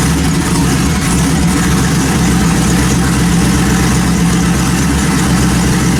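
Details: Built turbo LS in a 1974 Chevy Caprice, first start after the Holley 12-1800 fuel pump upgrade: a steady, even idle with a smooth low rumble and no misses, knocks or ticks; running cleanly.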